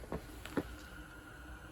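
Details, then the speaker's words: Renault Zoe ZE40 R90 electric motor after its noisy bearings were replaced: the hand-spun rotor coasts quietly with a faint steady whir, the rubber-shielded high-speed bearing just audible. It is much quieter than before. "so there we go sounds pretty good you can just about hear the bearing you can hear that one that's the um rubber shielded highs speeded one at that end but yeah obviously a lot quieter than it used to be"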